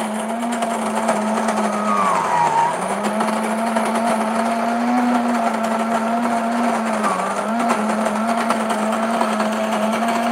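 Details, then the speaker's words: New Breville Grind and Brew coffee maker grinding beans: steady motor drone with brief pitch dips as beans load the burrs, even and unstrained, not very loud; normal grinding. "but it's definitely grinding the coffee we can hear it grinding the coffee"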